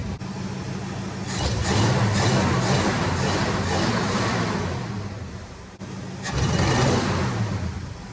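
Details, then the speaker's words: 1973 Pontiac Ventura V8, first start after fitting a used Edelbrock intake, Holley 1850 carb, 1.65 rockers and dual exhaust, untuned: rough, bogging stumble at wide-open throttle, settling to a lumpy idle; owner suspects jetting or secondary opening timing. "Yeah, something's not great when it goes wide open throttle. Let's go. And that's just not going to work."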